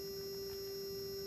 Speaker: so I will turn it on here and as you can hear it is humming and specifically it is the small mirror right here this XY mirror that is humming